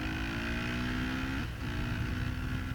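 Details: 2008 Honda CRF450R carbureted motard at wide-open throttle uphill, pulling strongly and cleanly with a brief dip for a shift; air/fuel ratio is about 13.5 at wide open throttle.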